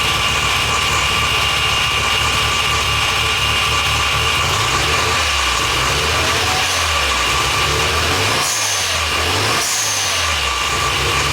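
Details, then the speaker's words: Mazda FD RX-7 rotary, rebuilt after losing compression, freshly installed with exhaust now attached: steady buzzy idle with several quick throttle blips rising and falling cleanly; engine starts, idles and revs healthy. "So, looks like I got it running. At least, you know, at least got the motor running itself, so that's super awesome."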